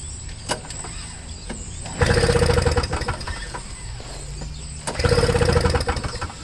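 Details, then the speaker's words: Second Toro Snow Commander snowblower with flooding carburetor: two short bursts of firing about three seconds apart, each dying within a second, running only on sprayed carb cleaner; fuel starvation, no fuel reaching the carburetor. "Wasn't even enough to wet its whistle."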